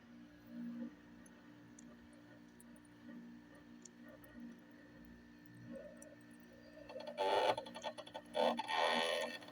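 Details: 1998 Fedders 5100 BTU window air conditioner starting up with a steady hum, odd warbling and moaning tones, then loud rattling bursts.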